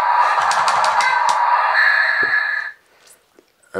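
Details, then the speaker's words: Newray RC Volvo A40D model drive: high electric motor whine with quick regular ticking about three per second; drive-wheel slip clutch slipping constantly as original drive motor can't carry the truck, needs replacing. "all that seems to be happening is the slip clutch is going on the drive Wheels all the time so we definitely need to change the drive motor"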